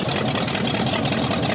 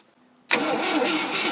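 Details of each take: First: Scrapyard 360 V8 Jeep Cherokee, just revived, no oil gauge or key power: steady smooth idle with no valvetrain clacking, so oil pressure assumed present. Normal idle. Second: Scrapyard 360 V8 Jeep Cherokee, long sitting, marginal battery: starter kicks in and drags the engine over slowly and laboriously, no firing; wire getting warm. Slow cranking, weak battery suspected, not confirmed.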